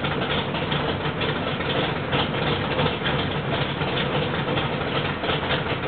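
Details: Rebuilt L88 427 Chevy big-block, hydraulic roller cam, 9.6:1 aluminum heads for 91-octane pump gas, timing set at 36°: steady, even low rumble with a quick regular firing beat, no knocks or ticks; healthy, sounds like an original L88.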